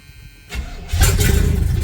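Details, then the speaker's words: 1978 Chevrolet K20 V8, revived after sitting for years, brakes doubtful: brief crank, catches almost immediately and settles to a strong, even low rumble; starts way too good and now charging. "that starts way too good and it charges that's crazy"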